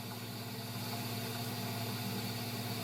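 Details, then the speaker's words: Gas furnace after blower motor replacement, start of heat cycle: steady, even draft inducer motor hum, low drone, no rubbing or rattle; runs normally before igniter, burners and blower follow. "So we turn it on. The draft motor starts up. It'll run for a little period of time on this furnace."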